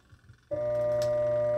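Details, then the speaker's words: Washing machine (tanquinho) motor lacking power: plugged in, it gives a steady low electrical hum without spinning; owner suspects motor, capacitor, or water leak, not confirmed. "fica roncando assim pessoal [Música] roncando mas não vai"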